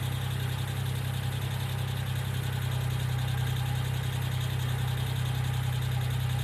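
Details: 1995 Geo Metro at steady idle: light, quick tick of about three or four a second, consistent with a noisy hydraulic lifter. B-12 fuel injection cleaner is added to the engine oil before an oil change.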